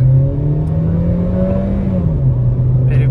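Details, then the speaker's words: 2011 Hyundai i30 1.6 automatic, claimed 76,000 km, full-throttle launch from a stop with brief wheelspin: the engine drone climbs, then drops cleanly as the gearbox upshifts without flare or clunk; the automatic shifts normally. "буксует переключила ещё раз переключила переключает отлично никаких вопросов к работе Коробки у нас нету"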